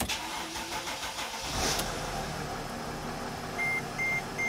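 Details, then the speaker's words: 2008 Dodge Sprinter diesel with codes P2133, P2134 and P2138, after glow plug replacement and circuit testing: a brief crank, it catches and idles evenly with dash chimes, check engine light now off; normal start and idle. "all right guys as you can hear the engine is running and the check engine light is no longer remaining on on the dash"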